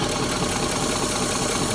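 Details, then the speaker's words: 2008 Ford F-150 5.4L 3-valve V8 with a rough, shaking idle after owner replaced VCT solenoids, plugs and coils: uneven, lumpy idle with irregular stumble; vacuum leak from a fuel injector that was not installed properly. "back and there you have it as an injector that was not installed properly"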